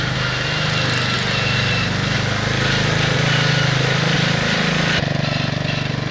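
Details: 1969 Bolens 850 tractor, Wisconsin S8D 8.25 hp single-cylinder engine, after points and carburetor initial adjustment: held at high rpm with uneven knock under steady drone; knocks badly at high rpm, also idles poorly and smokes, cause unknown.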